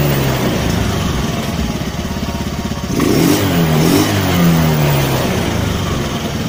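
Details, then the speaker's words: Honda Spacy carburetor scooter after idle adjustment and trimming the slide vacuum piston, previously wouldn't idle, bogged and sputtered: idles steadily, then revs climb cleanly and hold without bogging; normal throttle response. "Oke skep sudahudah mulai bekerja ya bekerja normal sesuai dengan e bukaan yang kita gas ya guys ya"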